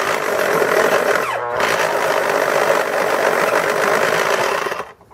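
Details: Elmer's electric pencil sharpener, model 19xx CM, after repair of a humming fault: steady high motor whir as the cutter chews through the pencil, then winds down to quiet; now sharpening properly.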